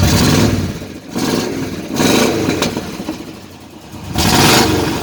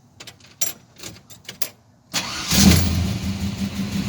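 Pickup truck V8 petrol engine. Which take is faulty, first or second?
first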